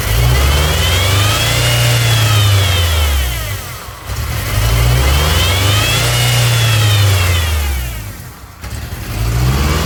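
Engine swings up and down through repeated revs with a steady hiss riding over it; a large vacuum leak on the intake.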